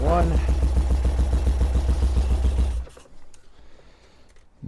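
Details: 1978 BMW R100S boxer twin after years of storage, freshly fitted spark plugs, choke on: steady starter chugging at about three and a half compressions a second for nearly three seconds, never firing. The owner suspects one carburetor isn't getting fuel because its bowl looked dry.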